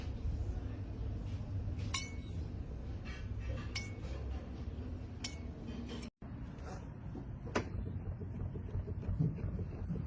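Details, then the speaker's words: Aftermarket OE-style replacement shock with barely 5,000 miles, removed from a Honda, squeaks in low rhythmic pulses about three a second when compressed by hand; vibration felt in the shaft, apparently from the stem/valving. "Right when you compress it from the top, or when I start moving, you hear the squeaking."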